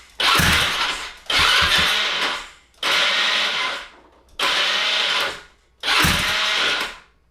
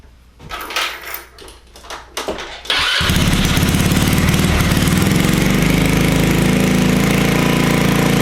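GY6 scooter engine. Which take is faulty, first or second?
first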